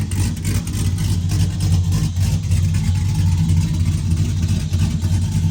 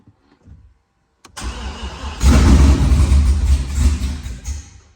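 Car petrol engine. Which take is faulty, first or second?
second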